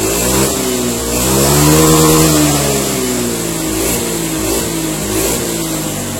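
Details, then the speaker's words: Honda Beat ESP injection scooter, 2016–2017, after repair of a low-rev stutter on initial throttle: no MIL or fault codes. Revs climb and fall smoothly with the throttle, with no stumble or misfire, running normally again. "Alhamdulillah ya, ini udah normal kembali ya, tidak ada kendala."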